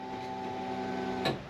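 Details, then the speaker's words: Honda Civic EG track car after a trackday plagued by electrical problems, fuel pump newly wired to run on a relay: at ignition on, a steady electric hum runs about a second then cuts off cleanly, a normal fuel pump prime. "Right, so the fuel pump should now come on and go off. Yes! Yes! Alright, finally we've succeeded in something."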